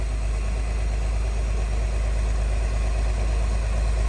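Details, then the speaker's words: 1963 Chevrolet Corvair parked since 1975, now running on its own mechanical fuel pump instead of gravity feed, no fuel leaks, earlier worse noise reduced: deep, even idle rumble with no misses or knocks; normal idle. "but it's running off its own fuel pump right now I don't see any fuel leaks it's idling nicely"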